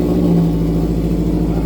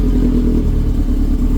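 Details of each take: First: Subaru with exhaust damaged in an earlier accident, muffler off, complete straight pipe, not quite a cold start: very loud deep blatting exhaust turning raspy on revs, unmuffled; sound changes a lot, straight pipe exhaust. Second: Subaru after bending its titanium exhaust back from an earlier accident so it no longer hits the differential: deep even exhaust rumble with no rattle or clank; exhaust now sounds normal.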